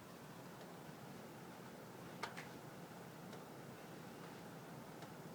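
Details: Sharp scattered pops and ticks from heating ductwork over steady airflow hiss, one clearly louder. The gap between louder pops lengthens by about 1–2 seconds each time; owner doubts simple expansion/contraction. Cause unknown.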